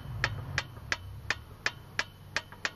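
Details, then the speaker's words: Engine off on a Robin EC25-2PG two-stroke in an EZGO golf cart. Pushing the piston by finger gives sharp hollow knocks about three a second: a loose, worn piston slapping the cylinder. It likely needs a piston, rings and cylinder. "I'm going to touch the Piston with my finger and listen to the noise that's the Piston wobbling back and forth on the cylinder"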